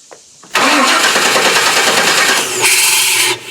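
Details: 1998 Chevy truck with code P1351, crank-no-start, first crank after installing a new ignition module: three seconds of fast, busy starter cranking that cuts off abruptly with no firing or idle; the engine turns over but won't start.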